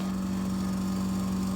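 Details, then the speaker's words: Refrigerator, recorded with the freezer door open: steady low hum with a constant mid-pitched drone from the freezer; motor or fan suspected, not confirmed; light has also failed. "hear that that might be the motor itself probably it's just a fan it's been pretty good but the thing is the motor is uh making noise inside the fridge or after the freezer whatever it is"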